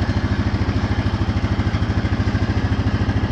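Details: 2014 Honda Foreman 4x4 TRX 500 FM1 ATV, 444 miles, cold start: fuel pump needs a moment to refill the drained line, then even, steady low thumping with no knocks or misses; normal healthy cold idle.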